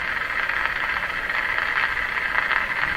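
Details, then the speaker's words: Ford Zenith 6MF780 car radio with non-working power-supply vibrator, bypassed by feeding about 100 volts, antenna connected to signal generator, in the shop: steady even hiss without crackling static, just interference on the antenna; radio works. "my shop and AM radio is bound to pick up lots of interference sort of sounds but they aren't crackly static"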